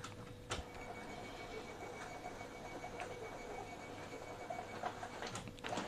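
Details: Epson L15160 printer after timing belt replacement, printing a test batch; soft even carriage shuffle with light rhythmic ticks and a faint worn rasp, not too noisy, still acceptable and working normally.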